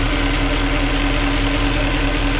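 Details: Mercedes W204 C63 AMG M156 V8 at steady idle just after spark plug replacement: smooth low burble, no misfire stumble or ticking; no fault codes read afterward, though owner notes a bank 1 cylinder 2 oxygen sensor still needs replacing.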